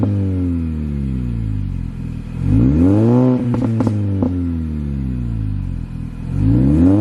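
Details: R53 Mini Cooper S, owned about two weeks: start-up and rev blips rising and falling cleanly, thin supercharger whine climbing with revs, exhaust audible; normal engine rev, pulls freely and sounds healthy.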